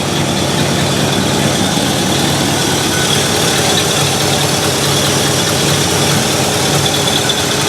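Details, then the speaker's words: 1968 Ford Galaxie 500 V8 with Holley carburetor, idle screw adjusted down from too high to about 550 rpm: loud, even idle holding level with no hunting, surging or misses; normal idle. "okay that already sounds better it doesn't feel like it's trying to race and looking over at the tack that looks about right about 550."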